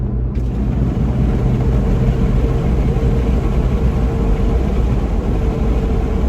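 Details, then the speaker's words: Toyota Tacoma at 55 mph with OEM roof rack deployed and window down, heard in cab: steady rushing wind roar from the open window, no rattle, whistle or hum from the rack; normal wind noise. "i just hear wind noise from the window got to get that window up"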